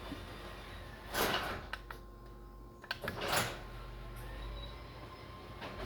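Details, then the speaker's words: Garage door jamming again after stopping halfway going up the night before: loud scraping drags in bursts with rubbing between, the door dragging and probably binding at the rollers, which likely need adjusting. "Last night, going up, it stopped halfway. But it's dragging again."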